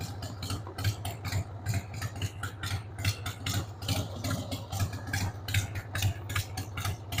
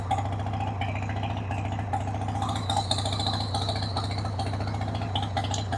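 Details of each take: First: 1993 Harley-Davidson Sportster 883 Evo V-twin, stored about 15 years, just started on starting fluid with a dead battery: a loping, uneven idle thumping about once a second with irregular beats. The carb needs cleaning. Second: 1993 Harley-Davidson Sportster 883 Evo V-twin, sat about 15 years, started with starting spray on a dead battery: catches and holds a loping, slightly uneven idle with steady thump of firing pulses; runs on its own, not dumping oil.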